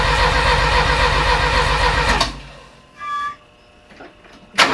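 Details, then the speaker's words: Rebuilt engine in a Porsche 924, first start attempts, fuel pump working and fuel spraying, yet no firing: starter cranks at an even beat for about two seconds without catching, pauses, cranks again; cranks but won't start. "my question is why isn't it firing if I'm telling it it's got gas it's got gas now right"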